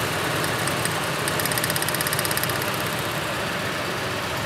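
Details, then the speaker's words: Ford F-150 with waste-spark ignition, misfire persisting after new coils, at idle with hands around cylinder six; fast crisp snapping ticks over a steady idle, possibly lifter tick, injector also suspected: secondary ignition arcing. "I still hear that. I still hear the arcing sound scaring me."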